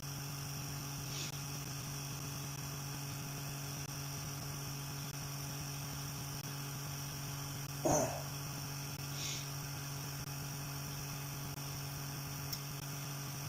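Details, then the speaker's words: Small motor on newly finished mount driving a generator under electrical load: constant low hum holding pitch with no audible slowdown, unlike the other generator which slowed noticeably; runs smoothly. "You see, when I loaded that other generator down, you could hear a discernible slowdown of it. You could actually hear it slowing down. You can't even hear this thing slow down. You can't tell."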